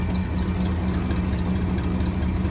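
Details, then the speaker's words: 1963 AMC 287 V8 (Rambler wagon) heard through a stethoscope on the water pump: steady, even low hum with no knocking or grinding. Water pump, alternator and power steering pump are all smooth; the valve-train squeak comes from the left-bank rocker shaft. "smooth on the water pump, smooth on the alternator, smooth on the power steering pump."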